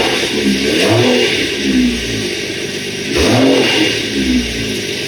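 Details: 2013 BMW X5 35i with N55 engine after an air filter replacement revs cleanly through a few quick blips and settles back each time without hesitation or rattle.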